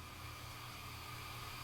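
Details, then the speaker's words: Homebuilt Class A practice tube amp tested with no input source, volume and treble at full: only a soft steady hiss with a faint low hum, no squeal or feedback, then no hum at volume down. The amp is quiet and healthy. "Volume all the way down. No hum. So this is going to be a great amp, I can already tell."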